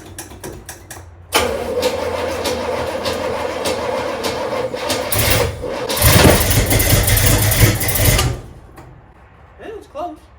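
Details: Trans Am with 403 Oldsmobile V8, first start after install, some grounds not yet connected: quick cranking clicks, then fires and runs loud and uneven for about seven seconds before dying; rough first start, cause unknown.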